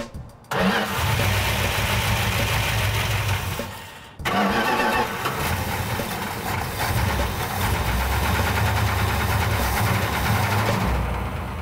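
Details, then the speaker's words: Fresh 340 V8 in a Plymouth Cuda, believed sabotaged with sand: two starts, then idle with an uneven knock or tap three or four times a second. Cause unclear; owners suspect lifters or valve train, the flex plate hitting the shield, or the bottom end. "What the f*** is happening? You know? Why the f*** it got a tap?"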